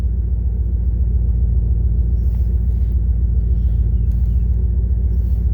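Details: 1998 Dodge Durango single-cam V8 at about 285,772 miles, warm idle at operating temperature after timing chain, oil and filter replacement for a P0300 misfire. The rumble is smooth, even and low with a steady firing rhythm and no knocks, ticks or misses.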